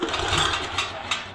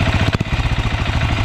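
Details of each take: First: Yağmur YET 300 rototiller that tipped over, then misfired and stalled: recoil pull rattles, catches and stalls hard against compression again and again; found loose rocker adjuster, valve setting slipped. Recoil starter pull against stuck compression. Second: Yağmur YET 300 single-cylinder tiller after repair, previously tipped over, then misfired, stalled and starter would not pull: thumps settle into a steady even beat, no missing or knocking; running cleanly.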